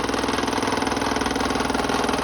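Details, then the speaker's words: 30-year-old Delta P-20 scroll saw, salvaged and restored with a new blade, running on cardboard and not mounted down: a fast, steady, even reciprocating buzz with some table vibration. No knocking or scraping; it runs smoothly. "so there is table vibration all right there's table vibration but it's sitting on top of cardboard it's not mounted down"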